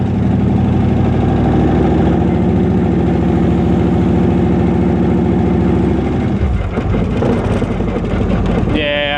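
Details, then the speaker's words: Speedway Motors 1923 T-Bucket hot rod, small-block Chevy 350, Turbo 350, Currie Ford 9-inch rear, on a test drive after heating and bending the axle brackets: rough grinding from the rear over engine and road drone, worse than before; owner suspects the binding brackets and may replace them. "I can hear it back there. I don't know if you guys can hear it, but I've got a bit of a bit of a grind going on."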